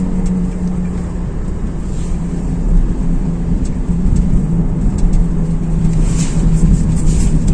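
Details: Steady low hum over road rumble at cruising speed, suspected worn wheel hub bearing, to be checked by jacking up the wheel.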